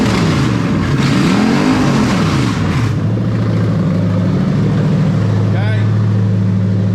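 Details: Toyota 1UZ-FE VVT-i V8 (from LS400) with plug-and-play harness for IS200 with J160 6-speed manual, no exhaust fitted: loud open-header blips up and settles to steady even idle, no misses or knocks; sensors working.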